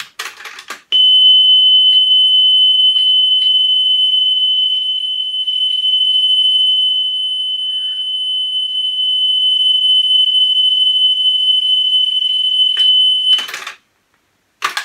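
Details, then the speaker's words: Pioneer CT-W205R 1990s auto-reverse double cassette deck during service: steady pure 3 kHz test tone about twelve seconds with slight level wander while head azimuth is set for highest pitch; appears nearly set already. "and as you can hear what i'm doing is i'm listening for that tone to be as high pitched as possible and at the moment i'm doing it on 3 k"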